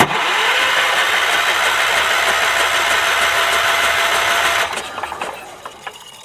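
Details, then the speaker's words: 1978 Wheel Horse C-121 garden tractor, cap off to inspect: steady starter whir for four and a half seconds with even cranking pulses, no firing; owner suspects something sinister. "That is not doing anything. That is troublesome. Well, I do believe we have something sinister going on here."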